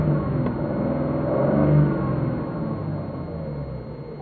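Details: Ford EL Fairmont Ghia idling unevenly with a low, lumpy rumble swelling and sagging, rough on both LPG and petrol and stalling frequently; owner suspects faulty computer or distributor, unconfirmed.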